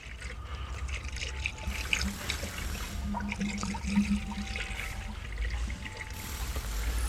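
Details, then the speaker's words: Overheating Dodge Avenger/Chrysler 200, refilling with Mopar 5-year coolant, sensor removed, using bleeder valve: irregular gurgling and bubbling as trapped air escapes the cooling system during bleeding. "Okay, I'm a big believer now. I wasn't at first, but yes, it works great. I can hear the air bubbles."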